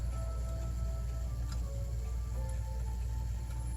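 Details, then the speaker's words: German 9-tubular-bell Urgo grandfather clock mechanism circa 1980, test-run after repair: tubular bells play the Westminster melody, then the hour strikes; clear ringing tones about once a second over low room hum, chime working normally. "So that's playing a Westminster melody. And then right there, that's striking the hour on the left-hand side."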